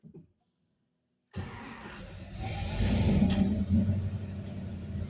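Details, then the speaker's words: 1964 Chevelle, 468 big block, 4-speed, 12-year-old self-learning FAST EZ-EFI that used to die on throttle blips, after setup fix: V8 catches after short crank, takes throttle cleanly and builds revs without stumbling; running healthy. "So I'm gonna fire it up and hope you guys can hear me."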